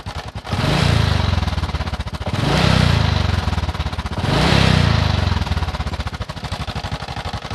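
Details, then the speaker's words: Honda Supra X 125 motorcycle, idling, making a rough noise from the front of the engine around the block or cylinder head. A rapid metallic clatter over a rough idle swells with each rev blip: a loose cam chain rattling. "Ini motor 125 dia bunyi kasar di bagian bagian depan ya, bagian bloknya, bagian blok head atau ini bawah."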